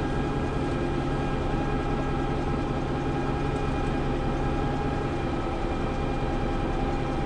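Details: Preserved GM Buses MCW Metrobus Mk1 5120 (SND 120X) diesel, 2012 running day: heavy idle with loose, uneven beat rather than smooth run; known idling problems, bad diff, sometimes won't engage third gear; cause not identified.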